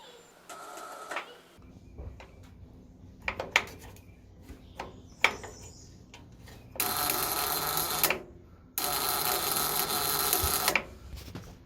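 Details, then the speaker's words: Ford 8N tractor (positive ground) pressing the starter button: two harsh buzzing bursts, engine never cranks; owner suspects weak battery or connections and a faulty starter button, later found an easy fix; starter buzzes but does not crank. "first i'm going to show you uh the buzzing sound it makes i'm not sure if you can hear that buzzing but that's not what you want to"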